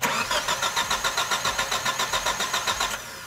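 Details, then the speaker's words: 2001 Chevrolet Grand Vitara, towed in, cranks but won't start, no spark observed; battery was dead so jump-started from another battery: starter churns with even compression pulses near four a second, never fires. "este es un vehículo chevrolet gran vitara 2001 llegó remolcado tiene el problema de que arranque y no prende"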